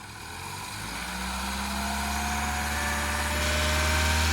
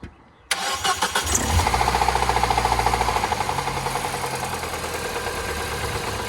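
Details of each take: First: Peugeot RCZ at full operating temperature: smooth, quiet idle that builds a little and stays even with no ticking or knock; the earlier suspected big-end rattle is gone. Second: Peugeot RCZ that a garage said needed a new engine for rattling big ends: engine catches and settles into a quick, regular rattle of three or four knocks a second at idle, later traced to the water pump drive rather than the big ends.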